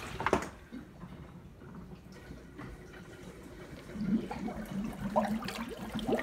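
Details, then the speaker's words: Fluval FX5 canister filter (1-inch hoses) fitted with a surface skimmer on a 16/22 mm intake hose: strong suction pulls air into the canister, heard as irregular gurgling and slurping over running water; the setup fails. "what you'll hear it's putting the air in the canister so the Essex I have such a strong suction that's putting air in faster"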